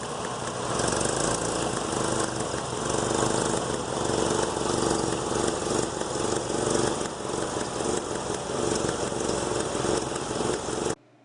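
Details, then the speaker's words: Engine running rough with irregular pops breaking through the note: a misfire from a spark plug wire leaking spark. "You see lightning start jumping out the side and hear it start skipping. You can find one like that. This one here, you could hear it going pop, pop, pop, you know."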